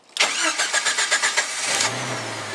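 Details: Jeep Wrangler YJ started keyless by a hidden arming switch and starter relay, bypassing a failed key cylinder: quick even cranking, about eight pulses, catches in under two seconds and settles to a smooth, steady idle.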